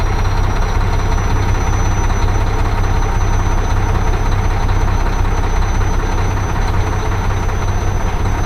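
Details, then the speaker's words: Mack diesel truck at idle, after priming the fuel pump: heavy, lumpy beat about two to three per second, still running rough. Owner suspects the injector cups. "I just want to get out and make some money man I'm so tired of messing around with everything oh still doesn't sound right"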